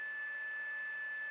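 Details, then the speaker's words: Anycubic i3 Mega-S 3D printer after replacing the stock hot end fan, which only starts at 60°C: steady airy whir with one constant high tone, no rattle; a little loud but much quieter than the worn-out stock fan, running normally. "so the hot end fan is on now it's a little loud but a lot quieter than stock"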